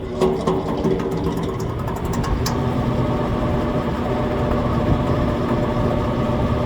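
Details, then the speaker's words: Outside AC condenser unit making a loud intermittent noise that woke the customer; compressor unhooked, fan blade checked fine. A steady, rough droning hum with a buzzy edge grows louder over several seconds, caused by a failing condenser fan motor internally. "Makes that noise and it gets louder and louder. And it's something bad inside the fan itself."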